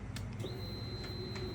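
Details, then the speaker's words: 2004 Honda Silverwing 600 scooter under restoration, key switched on: thin steady high whine rises and holds as the fuel pump primes and the fuel pump light shows ready; normal fuel pump priming, though the owner has a separate starting problem. "you can hear the fuel pump come up fuel pump light says okay we're ready kind of sort of"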